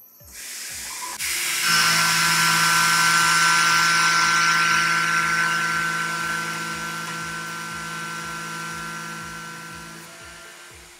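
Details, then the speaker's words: Tormach PCNC 1100 milling aluminum with a Maritool 1/2" 3-flute carbide roughing end mill, 0.3 in depth of cut at 18 in/min (about half horsepower); steady even spindle hum with clean cutting hiss, no chatter or bogging; easy, normal light cut. "we're going to start with a 3 in depth of cut at 18 in a minute that should be about half a horsepower this should be a nice and easy cut to start start off this test"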